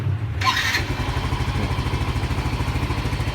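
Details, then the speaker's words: Yamaha Mio M3 scooter after fixing code 46 charging fault, battery now charged and MIL no longer blinking: the starter whirs briefly and the engine catches at once. It settles into a steady, even idle with no misfire; a normal start and idle. "Dah kita ke starter langsung nyala enteng banget karena Akhirnya sudah ngisi ya"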